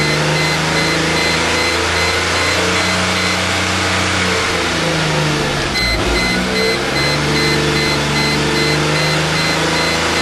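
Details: 1998 Mercedes E320 after months sitting, plugs replaced, coils swapped, MAF cleaned, random all-cylinder misfire codes: held high then stumbles and bogs near 3500–4000 rpm; owner suspects plugged catalytic converters.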